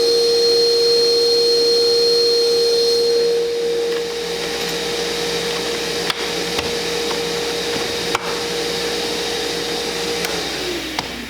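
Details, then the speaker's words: Shop vac inside a sound-insulated Dust Deputy cart, compared door open versus closed; steady high-pitched whine and airflow rush, quieter after a few seconds, running normally. "hopefully it'll come across on camera good enough to be able to see that this did make a substantial difference in the sound"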